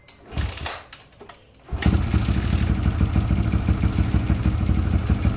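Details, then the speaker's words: Yamaha LC135 that suddenly died, after checks and refitting a racing coil and plug, unstarted nearly a month: spark present, short crank, then catches and settles into a steady, even low single-cylinder putter. Starts easily. "Okey, plug dah pasang, kita try hidupkan enjin lah. Api dah ada. Masa ni dah hampir sebulan tak start."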